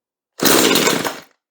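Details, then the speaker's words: Chainsaw with fuel lines just replaced (previously wouldn't start): primed, full choke, a single rough burst of firing under a second then dies, a normal first catch; owner says it sounded pretty good, idle to be turned down slightly. "she tried to kick okay that sounded pretty good"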